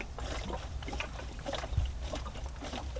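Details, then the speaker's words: BMW G30 with Gen 1 B58 engine after a turbo install, coolant filled to between min and max on both tanks: squeezing the coolant hose gives soft irregular gurgling about once a second, air trapped in the cooling system. "Once you see the coolant level on both tanks is exactly between minimum and maximum, see this coolant hose right here? Squeeze it. You'll hear bubbles, remember?"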